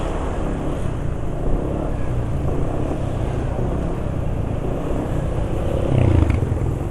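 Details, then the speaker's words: Scooter engine after about 40 km using Ultraline 2T two-stroke oil as engine oil, after STP treatment and flush; steady low drone with no ticking, knocking or grinding, smooth vibration, rpm not dropping quickly; running fine. "Oh ya untuk suara mesin masih enggak Parah ya esak-asaknya untuk getaran mesin e masih halus e RPM mesin juga termasuk enggak cepat turun ya"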